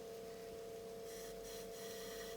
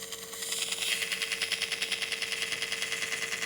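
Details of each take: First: Tascam 38 eight-track half-inch reel-to-reel recorder under restoration, fitted with a makeshift temporary rubber belt: steady even hum with a clean tone, no flutter or slipping; tension and torque judged right, belt drive running normally. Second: Tascam 38 half-inch 8-track reel-to-reel running before cleaning: a rhythmic scratchy swish about three times a second over a steady hum; a corroded, rough tape-path part is rubbing.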